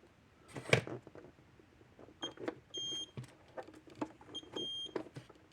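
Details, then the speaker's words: Gallagher Smart Scale 200 cattle scale after circuit board repair and battery change, tested with weight simulator; short high beeps in pairs between quiet button clicks as weights lock and readjust, scale working fine. "Yep. Okay. Scale's working fine."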